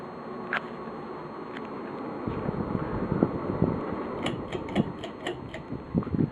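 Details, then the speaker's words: Casablanca Delta II four-blade ceiling fan, pre-1988, on high speed: irregular sharp ticks and chirps ("juju chick") over a soft airy whoosh; owner unsure of cause, doesn't think it's bearings. "I don't really know what that noises they just be able to hear but it's kind it kind of goes like juju chick I don't think its bearings"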